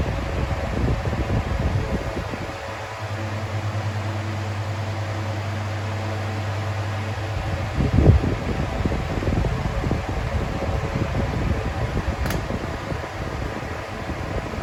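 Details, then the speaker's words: 2000s Bionaire 2cool 16-inch pedestal fan on low speed (about 61.5 W): steady rushing air and a low motor hum that drifts slightly, with no rattles or ticks. It runs normally, moving a lot of air even on low, but is very loud. "Yet again, it's still moving a lot of air even on low, but it is still very loud."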